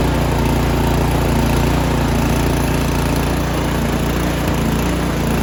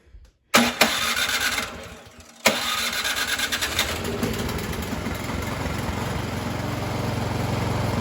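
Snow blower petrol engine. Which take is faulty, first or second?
first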